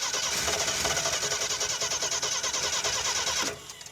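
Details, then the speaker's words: 1976 AMC Pacer with a Holley Sniper two-barrel EFI kit: starter cranks fast and steady, about three turns a second, without catching; no fuel delivery and no fuel pump heard running. "yeah it's got no fuel let's try some other switches well the fuel pump should just run it should just run it should not have its own separate switch"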